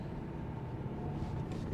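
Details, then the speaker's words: Cat N write-off Subaru Legacy 2.0 litre diesel with DPF, running: steady low clatter with a coarse, uneven chug; noisy, agricultural and not smooth. Owner unsure if normal or a fault; mechanics found nothing drastically wrong. "I don't know how well you can hear it but you know it's not the smoothest thing in the world I don't know whether that's just how these are generally or this one has something else up with it"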